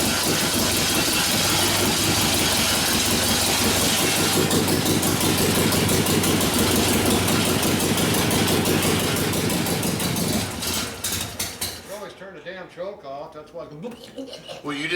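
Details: 1972 Harley-Davidson Sportster XL Ironhead bobber after engine rebuild (pistons, pinion bushing): loud, even V-twin beat around three pulses a second holds ten seconds, then shuts off; runs healthy, oil returning well.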